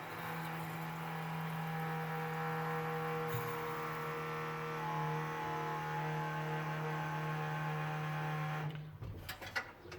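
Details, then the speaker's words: 1974 Ford F-100, parked since 2019: electric fuel pump in the engine bay powered by touching the battery terminal gives a loud, steady hum then cuts off; pump works, carburetor float bowl filling, pressure holding. "now we should be able to touch our battery terminal and our fuel pump will turn on oh and she's loud there she go we got fuel I can hear it and the carburetor there"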